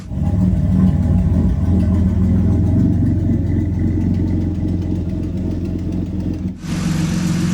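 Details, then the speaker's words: Turbocharged 3800 L67 Camaro with a custom exhaust, after the fix for loud ticking; a steady low idle with only faint valvetrain patter while warming up after sitting. The idle is normal and quiet. "you can kind of hear some of the valve train, but it's just warming up. It's been off for a while."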